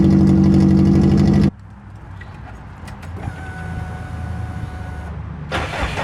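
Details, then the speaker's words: Engine recorded close to the exhaust: loud, raspy running with a rapid puffing edge, then silence and a restart, revealing an exhaust leak. "You can as I get back to the close here, you can hear the exhaust leak."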